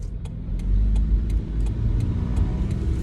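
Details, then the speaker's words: Toyota Corolla E110, three-speed automatic, 159,741 miles, long-sat, driving: deep rumble with faint sharp ticks about three a second from a substantial exhaust leak near the manifold, rough idle, lawn-mower smell; check engine light on, catalytic converter bad. "um it is leaking by the ex it's leaking near the manifold i'm not sure if it's leaking near the block or not but it has a fairly substantial exhaust leak which makes it sound hilarious and makes it smell like a lawn mower which is pretty hilarious"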